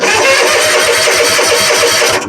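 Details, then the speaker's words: Exmark zero-turn mower with a Kawasaki twin, previously hard to start and running on one cylinder, after fitting new BPR 4-8 plugs to replace a plug with too wide a gap, started with a little choke: catches immediately and settles into a quick, even firing beat; starting normally. "oh yeah much much better sometimes it's the simple things so don't know why that Gap was so wide on there she's running like she's supposed to now"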